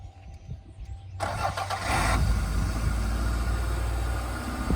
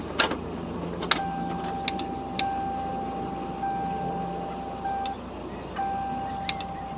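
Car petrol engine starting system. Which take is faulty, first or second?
second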